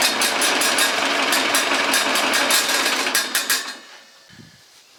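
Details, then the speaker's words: Ferguson TO-30 tractor after the 25-hour post-rebuild head bolt re-torque and valve lash adjustment: it chugs at about three firings a second, and the earlier valvetrain tick is gone; normal running. "Okay, guys. So, uh, it sounds like it runs a lot better. I I don't hear that tick that I had."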